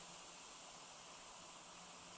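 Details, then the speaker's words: Road tubeless tyre on a carbon rim, inflated before adding sealant: steady even hiss of air escaping from at least two small holes, marked with tape; tubeless tyre air leak. "I found at least two holes in this you can hear it hissing and I mark them with tape"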